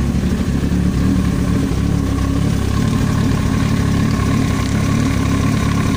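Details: Yamaha YZF-R1 inline-four at idle: faint light tapping on the exhaust note, an extraneous noise from the cylinder head; top-end knock, cause not pinned down.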